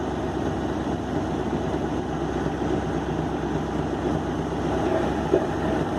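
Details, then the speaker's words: 1964 Ford F350 with 60,000 original miles, parked for years, first start after replacing fuel tank, lines, pump, filter, ignition parts, points and an aftermarket carburetor: steady, even V8 rumble with no knocks or stumbles, running really well at a smooth, healthy idle. "So as you can hear, the thing runs, and it runs really, really well."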